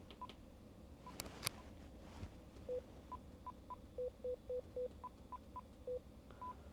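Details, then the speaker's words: Vero Bluetooth speaker-microphone just reconnected to a two-way radio, headset function set to PTT: a quick string of short, clean, evenly timed higher and lower beeps, normal push-to-talk tones. "Headset function. PTT. Okay. So, the beeps are sounding right."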